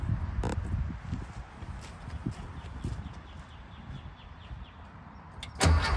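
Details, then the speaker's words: 1974 VW Thing air-cooled flat-four with Solex carburetor, first start after sitting since about 2005, points just cleaned: engine surges hard and wants to run away on its own, throttle stuck wide open; automatic choke rod suspected not working. "sounds like she wants to take off running this is always a bad sign right here"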